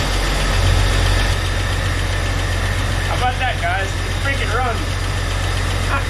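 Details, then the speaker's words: 1999 Jeep Cherokee with a junkyard 4.0L inline-six, freshly installed and idling: low, steady rumble with an even beat and no knocks or misfires. Running smooth with no check engine lights. Idling normally. "sounds like it's running pretty smooth they don't have any check engine lights on look at that huh"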